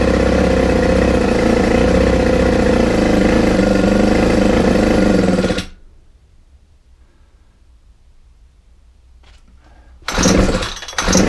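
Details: Ryobi four-stroke trimmer after mixture adjustment: it buzzes steadily for about five seconds, then dies abruptly before a brief restart. The owner suspects slack in the throttle control stops it opening fully and may refit the old carburettor; stalls after running briefly.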